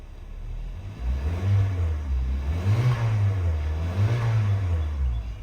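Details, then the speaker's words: 2014 Kia Soul after catalytic converter replacement with MIG-welded exhaust, door open: three clean throttle blips, revs rising and falling smoothly with no rattle or exhaust blow; sounds much better than before; normal revving. "Sounds way better. Uh I'm going to call that a win for my first time MIG welding."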